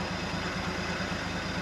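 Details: 1971 International Harvester 1110 pickup, AMC 232 six, 4-speed, idling after its first start on a rebuilt carburetor, with timing set and coolant added. Short stretch of even, steady idle with a smooth low thrum, no misses or knocks, no smoke; healthy.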